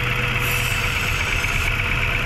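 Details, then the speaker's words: Mazda 3 after top overhaul for previous overheating, idle steady but strong engine vibration; injectors, four ignition coils and spark plugs already tested/replaced: uneven shaking idle as if a cylinder drops out. "Ayan sobrang lakas pa rin ng vibration"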